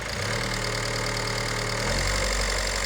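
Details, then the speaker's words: Peugeot Berlingo diesel van first start after failed timing chain replaced, following suspected fuel airlock: even diesel clatter, steady rhythm, not missing, no metallic knocking; normal idle, no valve damage found. "Yes, Chris, listen to it. Sweet as a nut. Oh, that's nice. Eh? That sounds nice."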